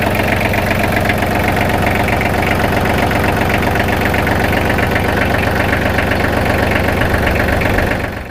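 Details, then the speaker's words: Kubota L3010 tractor diesel after oil, oil filter and fuel filter change: steady clatter about four beats a second, even until shutdown, no misses or knocks; healthy idle, no leaks. "Looks good. I don't see any leaks, so we can get ready to put this tractor back together."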